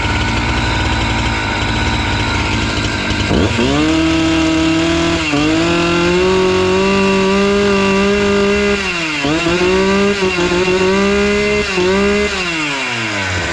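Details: Husqvarna 268 two-stroke chainsaw that stalled once warm, after the carburetor screws were set to about two to two-and-a-half turns open. It fires at about three seconds and holds a steady idle between short throttle blips, with clean revs and no stalling; running right.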